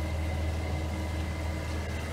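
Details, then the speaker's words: Aquapod electric pump switched on at switch box via power reel, beginning filter rinse mode: steady low hum comes on and holds evenly, no rattle or surging; normal start and running. "we then go to the switch box and we lift up on the switch to turn power on to the electric pump you can hear the pump activation"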